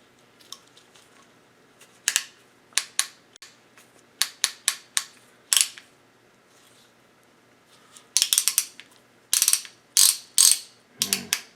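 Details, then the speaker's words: 2010 Yamaha YZ450 kick starter turned by hand, skipping instead of catching; dry metallic ratchet clicks in short irregular bursts. Mechanic suspects the return spring has lost its tension. "I don't I think I'm going to tear it apart I don't think that spring has got any to it anymore"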